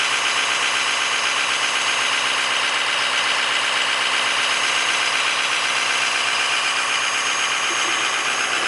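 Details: Idling engine with a fast, sharp puffing tick, about four per second, from an exhaust leak at the catalytic converter flange.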